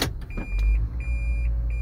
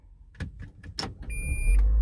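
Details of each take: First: 2010 Toyota Prius in reverse, ready mode: continuous high factory reverse warning chime over quiet cabin, before disabling it via OBD device. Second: 2015 Toyota Prius after the continuous reverse beep was disabled: one short high beep on shifting into reverse, then only the car's low hum; the reverse chime now sounds just once.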